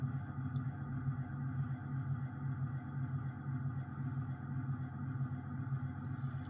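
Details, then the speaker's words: 1980 Emerson Casablanca 52" friction-drive ceiling fan turned up to a higher speed: loud low steady hum with a soft pulse about twice a second; visible wobble, owner guesses the blades are warped, not confirmed. "so as you can hear pretty loud got to turn it up a little bit"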